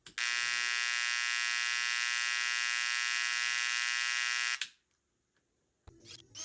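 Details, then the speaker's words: ADAM A5X studio monitor with power LED lit; a loud, steady, harsh buzz for over four seconds with no audio passing through and very low output. Amplifier fault. "It's got a pretty gnarly buzz and we're not hearing any audio pass through."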